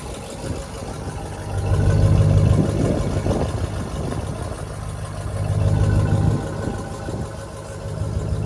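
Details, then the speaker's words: 1973 Chevrolet G20 factory camper conversion V8 at idle: steady low idle with a faint rhythmic puffing tick riding on the exhaust pulses; slight exhaust leak, left unrepaired. "as you can hear the truck has a slight exhaust leak decided to leave it alone"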